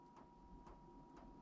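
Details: Van diesel heater fuel pump, suspended and wrapped in insulation, only slightly quieter, on lowest setting 1: soft even ticks about twice a second over a faint hum; normal pump pulsing.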